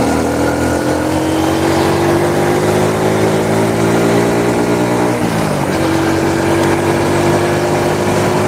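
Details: Honda Supra motorcycle shipped in by cargo in a box, after workshop overhaul; even note climbs with throttle, dips briefly, rises again cleanly, no knocks or rattles: normal running.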